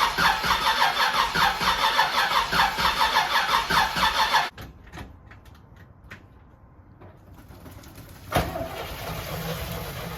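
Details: Camaro Z28 engine's first fire after reassembly, on fresh 93 fuel from a small temporary tank; fires and chuffs unevenly for about four seconds then dies, still needing carb tuning and timing adjustment.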